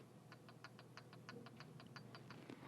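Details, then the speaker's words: Harley Dyna motor with gear-drive cams, gears rocked by hand while checking lash: about fifteen light, crisp clicks in three seconds, normal healthy play between the cam gears. "hopefully you can hear that little clicking and what that is is the Lash between the gears so what that means is that you've got a little bit of play between these gears and that's exactly what you want"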